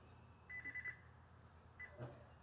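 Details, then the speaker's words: Gold's Gym Trainer 410 treadmill (GGTL39610), long left outdoors, belt off the motor, thermal cutoff bypassed: motor only bumps instead of rolling, then a few short error beeps. Owner suspects motor brushes; not confirmed. "I want to know why when I bump it when I turn it on why does it just bump it needs to roll why does it say there's a a problem with the motor when there's not a problem with the motor"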